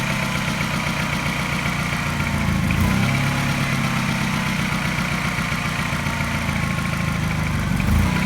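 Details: Mini with N12 engine, not fully warm, at fast idle: faint quick tap coinciding with a regular slight misfire stumble; cause unknown.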